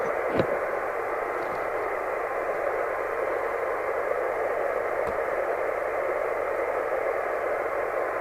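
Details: 1981 Rotel RVC220 CB27/81 UK FM CB radio after extensive repair (previously strangled audio, possible short, suspected dry joint on channel selector), via extension speaker: even steady hiss without crackle, hum or dropouts; normal receive audio.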